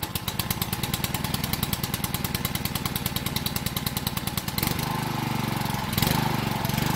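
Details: Honda 6 hp pressure washer engine, sat outside 2–4 years with suspected water in the gas tank, after oil, gas and spark plug change and carburetor cleaning: even, steady firing, then settles under load with a smooth, consistent note; runs normally.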